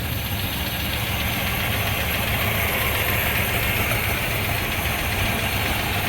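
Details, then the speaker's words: 1952 Eureka hearse engine, first start, idling by itself: light, quick, deep-toned ticking about three or four times a second over a steady idle; the owner suspects a lifter rather than a valve. "maybe a lifter doesn't sound like a a valve it's too deep but holy [ __ ] look it's idling by itself"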